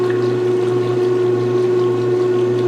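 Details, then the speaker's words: 1996 Maytag Dependable Care Plus washer draining during its first load; steady even low motor hum with a clear constant tone and faint water rush, normal drain pump operation. "is it draining holy it's so quiet you can actually hear the motor i love it"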